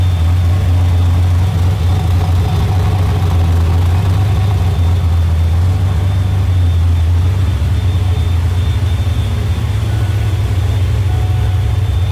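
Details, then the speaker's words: 347 turbo V8 idling around 900–1,000 rpm, about 100 rpm high, during tuning: thin constant high whistle over a deep idle from the idle air control valve; stopping the whistle makes the idle bounce. "So the whistle that you hear is gonna be the idle air control. I can make it stop whistling, but then it wants to kind of bounce."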